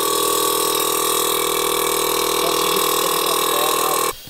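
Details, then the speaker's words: VW Golf R Mk7 with newly DIY-installed 3P air ride: compressor running on its own while calibrating, tank vibrating; steady loud buzzing drone with high whine, then sharp cut-off. Normal air compressor operation. "so we've turned it on i'm not touching anything it's calibrating as you can hear whoa sounds sick"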